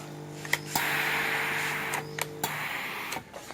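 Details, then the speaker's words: Tefal anti-calc GV7450 steam iron after repair for no steam output: click, then steady low buzzing hum of the steam pump motor for about two seconds, then click; normal steam pump operation after repair. "ฟังเสียงมอเตอร์ทำงานด้วยนะครับ"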